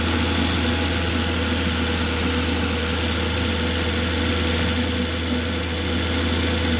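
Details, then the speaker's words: Stolen Volvo XC90 after retiming (cam adaptation slightly advanced): a steady, even idle with a soft low drone and no diesel-like clatter. Normal idle. "sounds better it's not clattery it's got a little bit of a woof to it"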